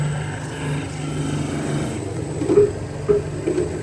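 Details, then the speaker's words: Sharpening machine grinding rusty, pitted planer blades, magnetized to the bed at 40 degrees, on the first cut. Low motor hum with separate scraping bursts about a second apart as the wheel touches only the high spots, because the blades are uneven. "So it looks like the blades were indeed all over the place. You can hear it touching on one point and not touching on another, so it's touching there, there and there,"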